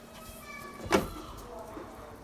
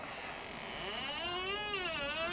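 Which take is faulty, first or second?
second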